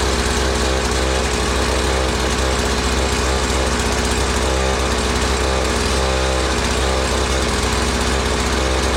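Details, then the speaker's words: Curbside-found Mantis-style tiller with Tecumseh 2-stroke engine, first start on choke: steady, even buzzing with no stumbling or surging, but it would not respond to the throttle before carburetor adjustment. "Alright, she runs, but if you notice, I was squeezing the throttle and it was not responding."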